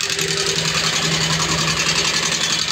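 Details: Yamaha Sniper 135 after top overhaul, coolant damage and timing repair: rapid dry metallic sewing-machine clatter over the idle because no oil is reaching the top end, valvetrain clatter from lack of lubrication.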